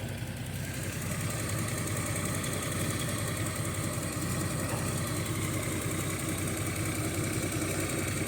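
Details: Datsun 280ZX petrol engine idling unevenly with a stumbling thump from a bad misfire that started that day, also audible in the exhaust when revved; owner suspects a plug wire, possibly cylinder 3, and plans to check the plugs.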